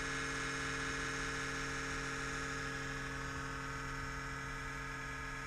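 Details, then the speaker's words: Kodiak camper exhaust fan at 37°F: steady loud buzzing drone at a fixed pitch, lasting about a minute on cold starts at roughly 60°F or below before it goes away; cause not confirmed. "the exhaust fan beans ex it's gonna make this loud racket for about one full minute"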